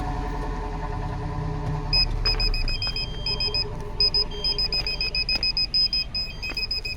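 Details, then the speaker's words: Car 12V reverse parking sensor system after replacing faulty buzzer speaker, engine on, in reverse: clear high-pitched beeps quickening into rapid bursts as the car backs up; all sensors working, previously silent due to failed speaker. "तो बिल्कुल clear आवाज़ आ रही है इसमें। ये देखिए reverse में है, और अब ये सेंसर है। ये देखिए सारे सेंसर काम कर रहे हैं बहुत अच्छे।"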